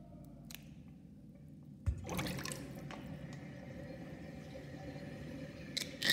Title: Interesting drain with sinkplug 38.5 mm with whirlpool and gurgling sound (1)